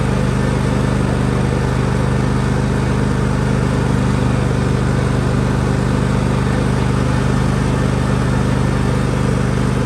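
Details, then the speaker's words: John Deere L130 riding mower transaxle after topping up oil (suspected low fluid) and replacing the oil plug: steady even engine run, only faint drive noise, no harsh groaning, much more responsive; normal transaxle operation. "oh wow no noise yet a little bit of noise there but it's way more responsive nothing like it was"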